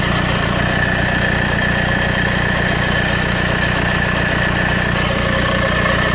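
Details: 2010 Mercedes B200 CDI (W245) diesel, 110,000 km, about 30 seconds after starting: steady idle with fast, uneven metallic timing chain rattle, two or three a second, caused by counterpressure from fuel rail pressure valve; chain wear probably from oil dilution.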